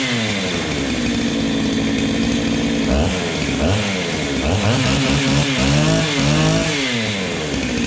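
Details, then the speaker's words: Ported Husqvarna 385XP two-stroke chainsaw with aftermarket 390 piston and cylinder, first cold start, unloaded: crisp buzz picks up cleanly on each light blip, returns to steady run; healthy. "so she sounds pretty good boys I've just been running her lightly like that you don't necessarily have to rev it right up in it because it can be hard on it"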